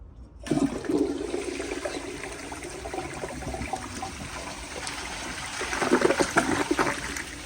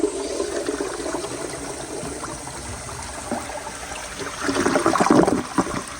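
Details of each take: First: 1999 Universal Rundle Atlas ADA comfort-height open-rim toilet flushing: water rushes in and swirls with a short soft gurgle and no strong siphon pull, weak flush; ballcock hisses while slowly refilling. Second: 1999 Universal Rundle Atlas elongated comfort-height toilet flushing: a brisk rush of water builds then swirls out cleanly, with no gurgle, hiss or hammer; a good, healthy flush.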